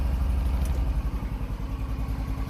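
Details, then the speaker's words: Cold engine bogs and stumbles on throttle after the choke is switched off too early, low single-cylinder thumping dipping unevenly; it improves once the choke is turned back on. "see if she'll take some throttle little cold come on BBE oh come on work through it it's a little cold come on well let's turn the choke back on"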